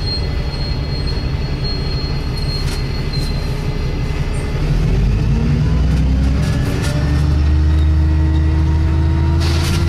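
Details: Arriva Yorkshire Wright Commander bus 1409 (YJ57 BVT) on service 203 from Dewsbury to Leeds: engine rumbling and pulling away, intermittent high squeaks and a rising whine as speed builds; squeaking noise, source unknown.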